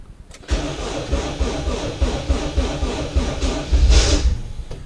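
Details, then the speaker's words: Civic on winter-blend E85, sitting since Christmas, battery 11.5 volts, starter/flywheel suspected worn: uneven labouring crank about three to four pulses a second, dragging, not catching. Slow cranking. "It's gonna take a minute. With my starter, my flywheel, whatever's all junked out."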